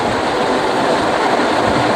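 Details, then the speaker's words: 5.5-ton AC indoor unit after a night service, earlier frozen cooling coil and low airflow, with a shorted wire fixed: strong, even rush of air with no knocks, rattles or whine; blower airflow is normal. "अभी मैं आपको दिखा रहा हूं इसकी आवाज से भी आपको पता चलेगा कि कितना तगड़ा फ्लो है।"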